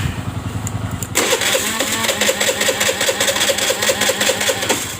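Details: Honda Vario 110 FI that stalls after 1–2 km: starter churns at about two and a half pulses a second, engine never catches, no fuel pressure; near-broken crankshaft pulser cable interrupting injector spray.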